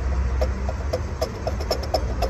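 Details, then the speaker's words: Cadillac Escalade 6.0 LS with a lot of play in the water pump shaft: light rhythmic ticking, about four per second, over a low engine hum; worn water pump bearing needing replacement. "hear that definitely needs a new water pump"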